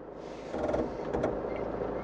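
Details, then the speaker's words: Toyota Land Cruiser 150 3.0 D-4D in Drive with crawl control, speed raised and lowered without pedals; quiet engine with short buzzing and clicking bursts as brakes pulse at crawling speed. Normal crawl control operation. "pot crește în timpul acesta viteza de deplasare. Sau pot să o scad. Și mașina răspunde așa cum auziți."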